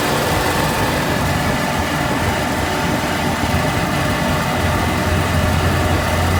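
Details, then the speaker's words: M151A2 MUTT four-cylinder after valve adjustment (loose, sloppy rockers tightened): runs steady and even with smooth low drone, no valve tapping; sounds far better, normal running. "that sounds a thousand times better I know what it sounds like on camera but I ain't messing with it"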